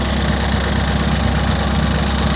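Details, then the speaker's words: Ford Fiesta ST race car with a replacement engine that showed low fuel pressure on the dyno, just reassembled after a fix meant to improve it: steady, even idle with a light quick direct-injection injector tick, normal and healthy. "Sounds nice, it's still ticking, but needs a direct injection, so we do tick anyway."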